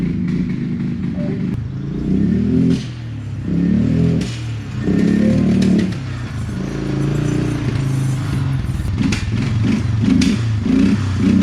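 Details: Circa-2000 Suzuki LT-F500F Quadrunner 500 running on a test tank: rough, lumpy idle that surges but won't rev, with sharp backfire pops; the cause was a faulty vacuum petcock.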